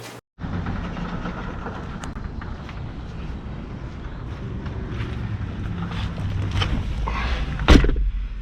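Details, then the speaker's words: 1991 Saab 9000 2.3 turbo 16-valve after repair under coil pack: starts first try, settles into steady even idle with no misfire or stumble; runs fine. "Okay, so everything seemed fine, which means that we can go about our test drive"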